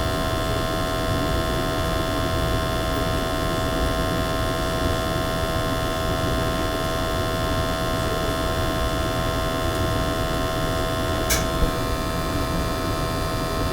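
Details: Natural gas boiler with high CO levels flagged in an energy audit, after burner cleaning: steady, even hum with a constant drone, no pulsing, rumble or popping; burner firing cleanly, CO PPM coming down.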